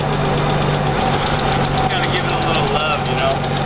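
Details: Nissan 300ZX after an engine reseal: idle hums along but the beat wavers with a slight stumble now and then ("picky"); owner thinks it needs a little more adjustment, cause unconfirmed.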